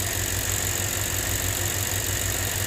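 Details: 2007 Lexus IS250 that would crank but not start after a backwards jump start (mixed-up fuses and a missing bolt found), idling after the fix: a smooth, even low thrum with no knocks, misses or hunting; it idles healthily.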